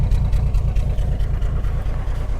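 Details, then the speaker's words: 1987 Jeep YJ 4.2L AMC inline-six, carbureted, sat 7+ years, no accelerator pump: deep lumpy idle, uneven low thumps without steady beat; owner suspects too rich, maybe wrong carburetor, unconfirmed. "It could be that this is the wrong carburetor and it's getting just way too rich."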